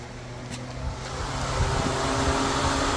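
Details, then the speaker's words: Electric engine cooling fan commanded on via a Launch scan tool actuation test at 50%, then lowered to 20% and audibly slowing; steady airy whoosh with no rattle or scrape, fan working properly. "Ahí está trabajando vamos a bajarle el 20% ya va bajando la velocidad se dan cuenta ya se escucha menos"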